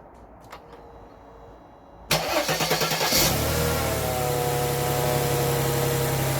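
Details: Mercedes C-Class W202 with M112 V6, started after spark plug and air filter change: starter cranks briefly, engine catches cleanly and settles into a smooth, even idle on all six cylinders, no misfire; normal start and idle.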